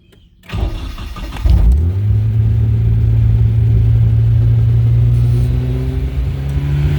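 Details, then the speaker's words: Nissan 240SX on second start attempt after idle adjustment: starter whirr, then the engine catches and surges to an uneven droning speed, never settling to a proper idle; runs rough, cause not yet found. "okay this is bad this is proper bad um yeah all right so since sadly i'm not able to get this thing to run at the moment smoothly"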